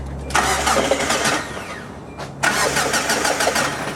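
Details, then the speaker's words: 2004 Hyundai Sonata that died while driving and cranks but won't start, starting fluid sprayed in: two bursts of uneven cranking that nearly catch but never run; owner suspects fuel pump or timing belt. "I did hear it a little bit it sounds like it almost turned over I got spray a little bit more inside"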